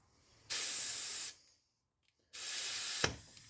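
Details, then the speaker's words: Chevy Equinox with a misfire, after a compression test and an injector replacement that fixed nothing, on a cylinder leak-down test at 80% leakage: hard air hiss heard at the intake plenum, starting and stopping with the hose. It is faint at the oil fill and silent at the exhaust, so the intake valves are likely leaking. "we got air in the cylinder we got 80 percent leakage on our gauge okay and if I put my eardrum to listen here on the intake plenum and then I disconnect the hose there stops if I reconnect it I immediately hear it"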